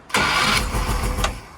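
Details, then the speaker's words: Restored 225 hp outboard being spark-tested on the engine: a short burst of uneven firing catches for about a second and then dies, showing that whole bank has spark. "okay it's apparent that this whole side of the bank clearly has spark"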